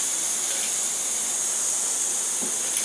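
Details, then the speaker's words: MSR Whisperlite Universal stove fed by a Primus Omni Fuel pump, after shutdown as the tank depressurizes: a steady, airy hiss with no flame roar. It is only leftover air from the tank and won't light, which is normal. "and you can still hear the the stove just hissing away but if I was to take a lighter and try to light that it's not going to light anything because all that I'm getting right now that sound is air that's inside of the tank"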